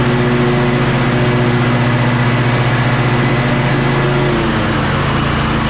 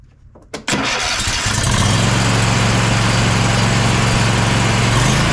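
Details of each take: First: Kohler KT745 (7000 series) twin on Bad Boy zero-turn mower, after about 20 minutes running: uneven chugging, pitch sagging as it loses all power; bogging, fuel good, ignition coils later found faulty. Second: Bad Boy zero-turn mower, Kohler 7000 KT745 engine after ignition coil replacement: quick start then smooth, even running with a steady low drone; ran normally about half an hour with the blade engaged.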